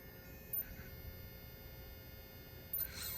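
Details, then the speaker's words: Savox SB1280 coreless servo with the old-version PCB: faint, steady high-pitched electronic whine from the idle servo in a quiet room. The old control board causes it; the new silence-software board removes it. "So today I want to show you why is a silence PCB board, and the old PCB board have a little bit electronic sound."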